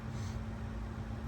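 Soft, steady low hum under a faint rush of air, with no ticking or wobble; the fan motor is running quietly and evenly.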